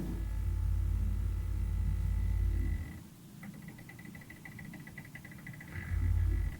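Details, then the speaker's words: New facelifted Porsche Cayenne E-Hybrid creeping steadily on the brakes: low growling rumble then a faint pulsing high whine, a strange regenerative braking grinding noise common to many hybrids. "which means, as with many other hybrids, the regen braking causes a strange grinding sound when you're just shuffling along steadily on the brakes."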